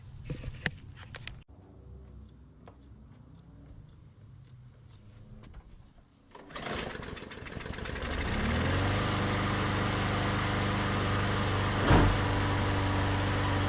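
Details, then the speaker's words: Yard Machines mower with a Briggs & Stratton E/EX-series engine, after clearing a clogged plastic carburetor with wire brush bristles: a few handling clicks, then it catches at once and settles into a steady even run; normal running. "we put those wire brush bristles through all the holes cleared it out that's what it took now it runs great"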